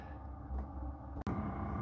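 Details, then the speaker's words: Chinese 5 kW diesel air heater on full output, tested in the workshop after exhaust and pump-silencing modifications: steady low even rumble with a faint pump click, about half as loud as before. "guys fantastic you can still hear the pump clicking but it is at least half as quiet uh than it was so that is fantastic"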